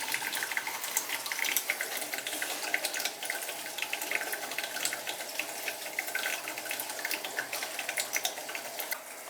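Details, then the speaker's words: Oil-fired boiler service: a steady hiss of water with sputtering air bursts through the hose as air is purged from a PEX heating zone while the pressure is watched. The noise goes quiet once the zone is fully purged. "Here comes the air now, you could hear it. You can hear the air coming now."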